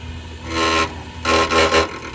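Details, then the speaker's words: Carrier Infinity furnace draft inducer trying to start: rough humming surges that rise and drop twice within seconds before it stops; the low-heat pressure switch did not close, and the inducer motor is failing. "the low heat pressure switch did not close or reopen that would make sense considering the sound of this draft inducer uh and it like stopped right away that is not going to be cheap"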